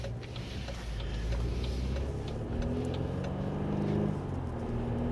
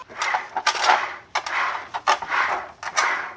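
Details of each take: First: BMW F-body 528i rear differential after full teardown and bearing repair for noise: on the road only steady low drone and tyre noise, no whine or hum from the rear; normal differential. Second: BMW 528i F-body rear differential, removed from car and turned by hand: gritty rasping whir on every stroke, the whine reaching the cabin; disassembly shows lots of metal filings from internal wear.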